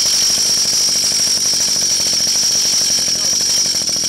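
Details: 49cc/47cc pocket bike two-stroke after carburetor replacement with new fuel lines and filter, revving steadily with quick even firing pulses and no misses; runs clean.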